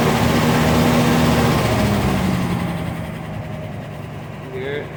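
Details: Chevy petrol engine idling parked, light steady tick about four a second over the hum, easing slightly in gear; owner unsure if typical Chevy tick or lifter tick.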